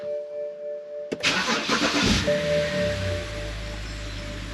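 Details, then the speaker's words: BMW N52 engine after replacing spark plugs and ignition coils: quick crank, catches at once and settles into an even, steady idle with no misfire; no check engine lights, more responsive. "right no check engine lights at all yeah engine sounds much better as well more responsive"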